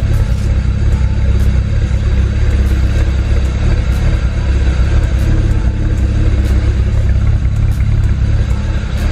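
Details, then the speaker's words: 2008 BMW 335i N54 twin-turbo inline-six heard at the rear: choppy, uneven idle with irregular stumbles and a loping exhaust beat. It is running rich with black soot from a failed bank 2 sensor 1 oxygen sensor. "just goes to show how rough is running and also how rich it is you can see the black suit on the ground"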